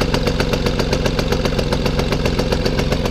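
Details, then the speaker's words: 1965 Vélosolex 3300 two-stroke, just push-started, choke on: crisp even popping about four per second; running cleanly. "Ah, il a démarré nickel, hein. Ouais, ça va. Excellent. Ah, le bruit, c'est bon ça."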